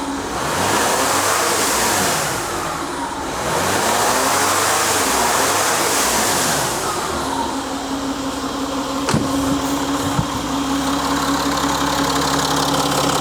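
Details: Citroën C6 diesel at idle: a steady low drone with a rushing hiss on top. The owner suspects a boost leak or exhaust leak, still unlocated, and also notes a timing chain noise.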